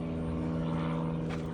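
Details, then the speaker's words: Midea mini split after its control board was replaced, where the previous board had smoked: the outdoor unit powers on and settles into a steady low hum with no rattling, grinding or smoke; it starts and runs cleanly. "Holy shit. It's alive. God damn."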